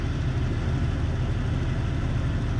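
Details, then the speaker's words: 2000 Jeep Cherokee 4.0L just rebuilt, low power: low heavy idle with slightly uneven rumble, vacuum under 12 inHg at idle; rough idle later found caused by wrong, too-long lifters installed. "It's idling okay. I wouldn't even call it a rough idle, but in the car you can kind of feel it a little rough."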